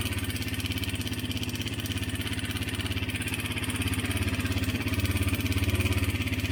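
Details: 2017 Honda CRF250L at idle, before repair: fast, even clatter about three or four beats a second over the single's thump; slack cam chain from a worn tensioner, cured by a new tensioner.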